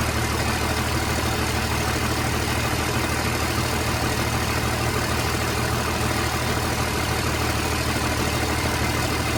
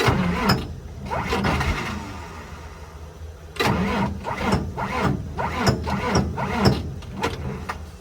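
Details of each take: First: 29-year-old TimberJack 450-C skidder diesel, sitting 8 years, just started with ether, hydraulics working: steady even low rumble, no misses or knocks; idles cleanly and healthy, blow-by check next. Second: 29-year-old TimberJack 450-C skidder diesel, sitting 8 years, cranked on ether: uneven bursts with a few sharp pops, nearly catching on the starting fluid but not yet running.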